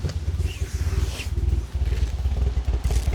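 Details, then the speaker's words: Ford Focus ST-2 with 99,000 miles, restarted after about 10 minutes: lumpy, uneven low chuffing at idle with irregular beats and dropouts; badly misfiring, black smoke from the exhaust, engine light on, cause not yet found. "It's starting. But it was badly misfiring."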